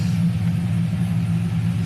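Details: Chevrolet Silverado LS V8 (4.8/5.3/6.0) with a BTR Stage II truck cam, new head gaskets and long-tube headers: deep, even idle with a rhythmic cam lope and no misses or check-engine lights; the engine is running healthy.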